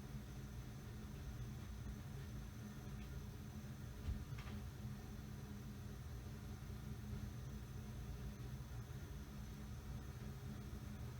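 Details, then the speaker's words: Likely early-1980s Mistral "Mistralaire" ceiling fan by TAT, with built-in preheat fluorescent light, coasting down with a quiet air whoosh and faint motor hum; bearings inaudible, healthy spin-down. "still spinning down at least the bearings are good you really can't hear them at all all you hear is the the sound of the air and a little bit of hum from the"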